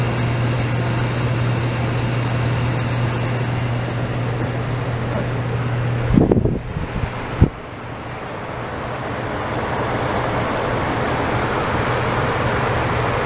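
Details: DE-N35FY clothes dryer after a fix for a bad abnormal noise: belt replaced, disassembled, cleaned and oiled. Steady low hum with a couple of brief handling bumps midway and no scraping or squealing; runs quietly and evenly.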